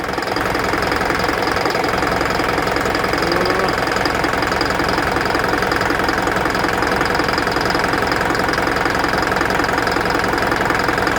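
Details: Isuzu NPR diesel with check engine light, DTC P0202 cylinder 2 injector circuit: steady knock about 160 per minute over rough idle, traced to a loose connection; engine knock with cylinder 2 injector circuit fault.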